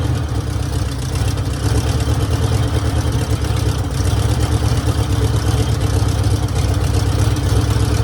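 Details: 1966 Mercury Monterey big-block Ford V8 after a fuel leak fix; deep, even rumble with steady lope, no misses, knocks or ticks, "running like a top"; normal idle.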